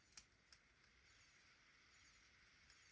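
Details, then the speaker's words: Unbranded Chinese analog-digital watch, worn, digital side running: four or five sharp, thin, uneven clicks when pressing the stopwatch buttons; unusual button sound, cause unclear. "This is This watch is making an unusual sound when I click the buttons. Let's see if I can show you guys."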